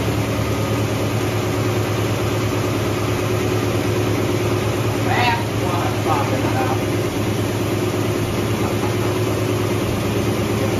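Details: Ford Mustang carbureted V8, idle turned up slightly, after fixing an air leak from the wrong gasket under the 1-inch carb spacer: steady, even idle with a low, regular beat and no hunting or hiss, settling and running smoothly.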